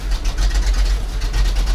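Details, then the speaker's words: ZIL crane truck V8 petrol engine after 20 years standing: loud lumpy uneven rumble, won't pick up revs; owner says half the cylinders dropped out, plans new spark plugs. "Половина цилиндров отсупонились. Ну и хорошей работы явно сейчас не дождаться от него."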